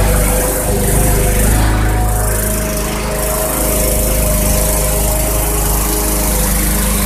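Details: Bolens/MTD 11A-BOBL765 21-inch push mower, 140cc Briggs & Stratton 500 Series engine, after no-start repair (old fuel blamed): steady even single-cylinder buzz holding speed without surging; running normally, blade sharp enough to cut.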